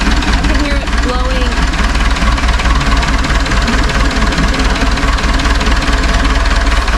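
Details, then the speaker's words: Cat forklift Perkins 4.236 diesel idling with radiator open: rough idle with steady knock and hiss of gas blowing through; severe combustion pressure leak into coolant, bad head gasket or cracked head suspected, to be confirmed on teardown. "but I'm going to show the world what it looks like when you have a really bad combustion chamber pressure leak into the cooling system ouch so that's that's the worst it can"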